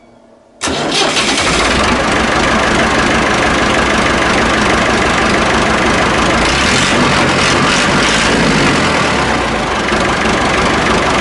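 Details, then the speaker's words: Massey Ferguson 1080 tractor, bought as a scrap non-runner, now restarted; it catches almost instantly and settles into a smooth, even diesel clatter with no knocks or misses, better than expected. Normal start and idle. "well that is lovely that he is i know it's way better than i thought it was going to be in fact that wasn't didn't even know it was running"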